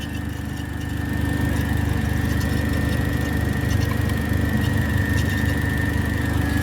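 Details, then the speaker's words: Turbo PT Cruiser GT after transmission reinstall with new clutch: steady high squeal over idle as the power steering pump runs with an empty reservoir; no power steering assist. "heavy front whe drive car with no power steering that's not fun let's see what's going on with that"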